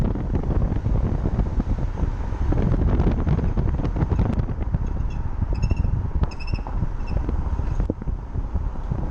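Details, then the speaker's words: 2008 BMW X5 E70 4.8i while driving: high, thin squeaks from the front end over wind and road rumble, loudest when the brake is pressed and released; grew from occasional faint chirps, brakes suspected. "はいこれ運転していましたらブレーキをするタイミングでよくこの音が聞こえます"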